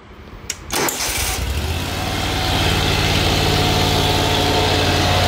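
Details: Great Dane Chariot zero-turn, Kohler CV730 (Command Pro 25) twin with a cutting-off complaint, started in neutral with the seat down during reassembly. The starter cranks briefly, then the engine catches quickly and settles into a steady, even idle that firms up: healthy start.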